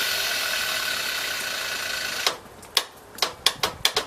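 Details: Used Yamaha Neos scooter engine with faulty electric starter and kick start: a brief whirr, then about eight irregular sharp clicks with gaps; starter mechanism clicking, slipping or ratcheting.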